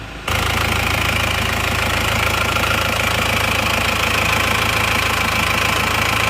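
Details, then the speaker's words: Isuzu Panther diesel with second-hand block, after replacing lower timing gear and idler gear, previously rough and smoky: smooth, even idle clatter with no knocks or misses; normal idle, though slightly louder than another Panther. "menurut saya suaranya itu emang lebih halus ya ini suaranya dan rata"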